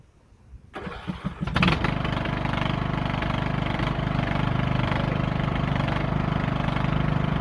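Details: Lawn tractor that quit in use, after oil change and new push rod: after a few cranks catches and settles into a steady, even single-cylinder putter with no knocks or misses; running healthy.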